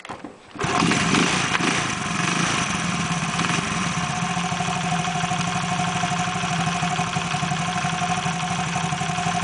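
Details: Engine catches after a short start and settles into a steady, even idle with a smooth mid-pitched note and no knocking; the earlier engine noise is fixed.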